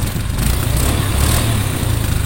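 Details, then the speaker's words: Honda Scoopy after repair work, with no oil leaks: a smooth, steady low hum with no knocks, ticks or rattles. Normal running. "suara halus, suara halus. Udah selesai."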